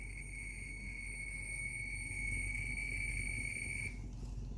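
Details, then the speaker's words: Split air conditioner outdoor unit with one compressor phase deliberately disconnected to trigger an error code: fan starts, thin high steady whine for about four seconds, then abrupt cut-out as the compressor stalls. "Allora, adesso ho staccato una fase al compressore, quindi dovrebbe dare errore di compressore."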